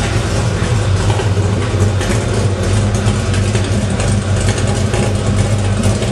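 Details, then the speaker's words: 1968 Chevy truck with 502 crate V8, Hooker headers, Edelbrock EFI, wet nitrous (not engaged), dual MagnaFlow exhaust, idling around 600 rpm, heard from the tailpipes at the rear: deep, steady, throaty rumble with even pulse, no misses; normal V8 exhaust note. "Has a nice throaty sound to it. The dual exhaust really looks sweet on this with that purple."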